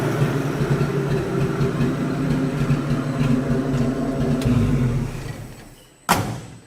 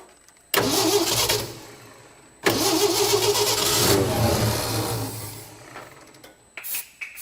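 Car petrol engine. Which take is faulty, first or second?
second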